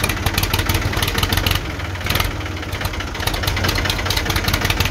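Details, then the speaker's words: 1978 Ford 535 backhoe, Ford 201 3.3L three-cylinder diesel idling after valve adjustment: steady even clatter with regular firing pulses; valves sound properly set. "now we can go ahead and fire it up and see how she runs"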